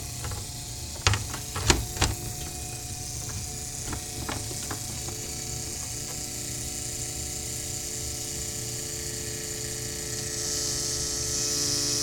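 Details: Replicated DeLorean fuel pump clog: pump removed but still connected in tank, run with RPM relay shorted and engine off; pinching the pickup hose makes steady hum rise to thin high whine, same as highway failure from broken-down rubber pieces blocking reservoir; pump to be replaced.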